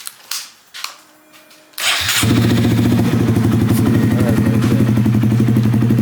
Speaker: This sounds good. It's a fine ass bike.